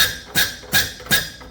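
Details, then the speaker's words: Hyster R80 forklift diesel injector on a pop tester, tightened from under 1,000 toward the specified 3,000 PSI: three sharp high chirps about 0.4 seconds apart with fine fog. "And you can see just that beautiful fog coming out of there. That's the way it's supposed to work."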